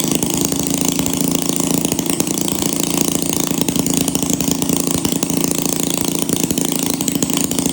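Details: 1937 Maytag Model 92 single-cylinder two-stroke, running before cosmetic cleanup and repaint, needing no mechanical or ignition work: fast even popping about four beats a second, steady and crisp with no misses; healthy.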